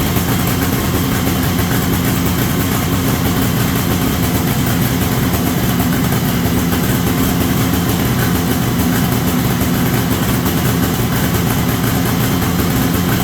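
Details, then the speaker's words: 1973 Columbia snowmobile two-stroke, running indoors after the crankcase pulse line was reconnected to the rebuilt diaphragm carburetor. Loud, steady buzz holds even without stumbling or dying: normal idle, first run in about 15 years. "So, gonna open some doors and get some fresh air in here, but she runs."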